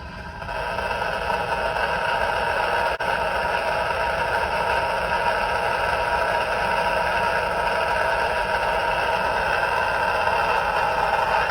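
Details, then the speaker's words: Polymer surge arrester in a variac-ramped test toward the 14.4 kV test voltage: a steady, even electrical buzz with layered tones holds constant throughout. The arrester is radiating RF interference; the noise started at 6.7 kV. "that noise started at 6.7 KV at 14-4 we're going to ramp that up to 14-4 right now which is what how we found it yesterday"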